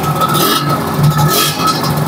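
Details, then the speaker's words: Yamaha RXZ two-stroke, owner-built engine, fitted with a mini coil/magnet and Catalyst wiring/CDI: it starts on one kick and revs cleanly with an even, buzzy note and no misses, popping or knocking; healthy. "So senang hidup kan? One kick, ha?"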